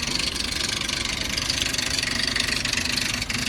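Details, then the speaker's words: High-mileage 2002 Ford Explorer SportTrac at idle: fast, steady metallic chatter about 160 per minute over smooth idle from engine front; timing chain suspected, not confirmed; engine rattle at idle. "Oh wow, that timing chain is really not happy."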